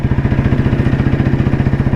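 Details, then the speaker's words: 1993 Royal Enfield Bullet C-engine with crank weight, riding, mic inside helmet: even, deep thumping about twelve beats a second, no misses or knocks. Healthy single, normal exhaust note. "ഈ ഓടിച്ചു പോകുമ്പോൾ നമുക്ക് കേൾക്കുന്ന ഒരു ശബ്ദം ഉണ്ടല്ലോ അത് നമുക്കൊരു പ്രത്യേക വൈബ് ആണത്. പ്രത്യേകം ഒരു ഫീൽ കിട്ടും എന്നുള്ളതാണ്."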